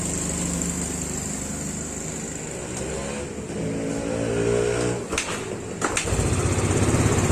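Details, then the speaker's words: Yamaha Mio Sporty scooter that kept stalling and would not start, after fixing a poorly connected part: small single-cylinder engine idling with a steady, even putter, no misses or stalling; running normally again. "teman-teman lihat motornya sudah hidup normal lagi"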